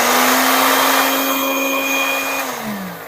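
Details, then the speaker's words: Philips blender after repair of the motor, all speed buttons 1–5 now turning: steady even motor whine at one pitch, then dropping smoothly as it coasts down; motor runs normally. "Oke, semua berputar teman-teman. Setelah kita melakukan perbaikan pada mesin dinamo blender Philips ya."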